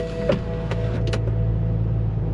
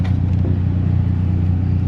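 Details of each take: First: BMW 528i idling with the A/C blower fan working again after a blower repair: soft, even fan rush with no squeal or ticking, fan speed set low on auto. Normal blower motor operation. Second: BMW 528i cabin blower with a customer noise complaint: a steady, slightly grumbling low drone with no knock or squeal; possibly debris such as leaves in the fan, or the blower motor itself going bad.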